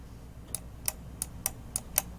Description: The noise of the switches of the left and right click on the new Roccat EMP mouse is so loud and annoying.